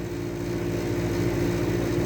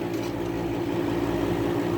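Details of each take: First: 1975 Climatrol air conditioner, a 7.5 amp unit, with its front grille removed. The fan motor, which ran rough when first acquired, runs with a steady even hum, quiet with no rubbing or rattle after sitting overnight; the cause is unknown. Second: 1975 Climatrol air conditioner running in a garage (7.5 A unit on a 20 A breaker), grille resting on top: steady low hum with a buzzing rattle. Something is vibrating and the compressor looks bent; cause unconfirmed, restoration planned.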